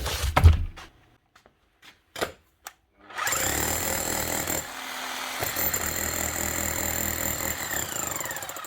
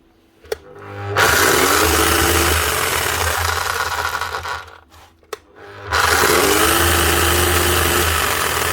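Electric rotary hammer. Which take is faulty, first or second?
second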